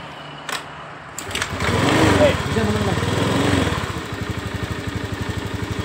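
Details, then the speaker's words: Honda Beat eSP scooter with weak battery, after cleaning injector and spark plug, removing DLC sensor, tightening TPS: kickstart catches after a couple of tries, then quick steady even idle, fuel pressure 41 psi; normal start and idle. "Nah, normal untuk hidupnya udah normal, slownnya udah bagus."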